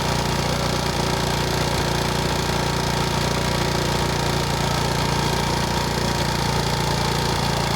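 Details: Honda Wave S 110 single-cylinder engine at idle: harsh, loose, uneven clattery tapping over a busy idle; piston slap, piston replaced.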